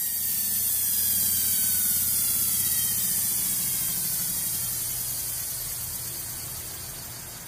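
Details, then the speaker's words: Antique Century repulsion-start induction motor running: hum with a light, fast rattle of about four per second from ring oilers in oil baths not filled, with only a little oil squirted in. "so if you hear any rattling it's those rings rattling around inside there because these bats are not"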